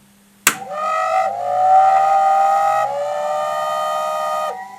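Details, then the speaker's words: Vintage Leevers Rich Series CS location reel-to-reel tape recorder's rotary converter: thump, then high whistling whine climbing and holding unevenly; worn brushes suspected, whistle said to be always present; neon light not on, HT possibly not working. "now it certainly sounds like as if the brushes have gone but that hum that whistle is a kind of sound you'd have at all times"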